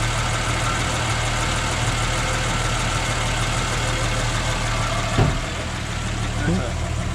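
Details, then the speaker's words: Ford XW sedan with 250 pre-crossflow six, freshly started after 17 years in storage: steady, even low idle with a light throttle blip, no misses or knocks; normal idle. "nice bro it's running really nice but he just needs to get bigger driven guys"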